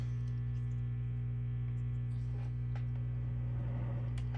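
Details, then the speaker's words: Loud steady low hum with a buzzy edge and faint crackles from a Peavey 5150 II tube guitar amp after a failing resistor and worn preamp tube were replaced; noise is interference pickup from a nearby phone, not an amp fault. "And it's picking up noise from my phone. Just an awful mess. Just awful."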